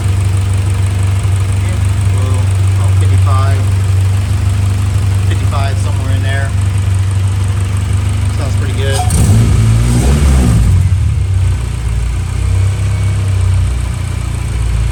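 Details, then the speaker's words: Honda Civic EG hatchback idling after fuel pump reinstall for a track fuel-starvation problem; low even steady idle with no stumble, surge or miss, no leaks, running smoothly and healthy. "Sounds like it's running good. Doesn't look like it's leaking back there."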